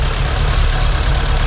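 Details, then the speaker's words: 1972 BMW 2002tii four-cylinder, dead cold start, no choke, shakes a little until warm; deep steady low rumble settling into even idle without misses, exhaust audible; normal cold idle. "so it actually starts pretty good until it warms up you can hear the exhaust"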